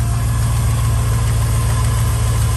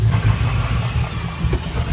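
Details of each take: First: 2001 Chevy Silverado 1500 5.3L V8 after sealing a cracked EGR tube exhaust leak with gasket maker: a steady, deep idle with an even low rumble and no ticking or puffing. Earlier it had an idle misfire with bank 1 and bank 2 lean codes. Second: 2001 Chevy Silverado 1500 5.3 V8 idling rough with a loping, stumbling misfire that worsens as it warms. Lean codes on both banks and multiple misfires; new plugs and wires didn't help; the cause was a cracked EGR tube.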